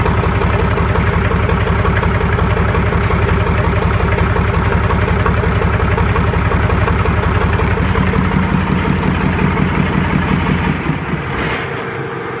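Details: YaMZ-236 diesel at its first start after a full overhaul, run on a makeshift test stand: an even, deep idle knock at about three beats per second with no misses or metallic knocks; a healthy engine.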